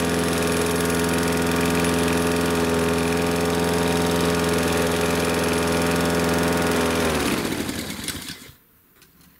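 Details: Husqvarna R 53SV self-propelled mower running at steady even speed with no surging after Sea Foam Motor Treatment was added to the fuel; surging was suspected from blocked carburettor jets.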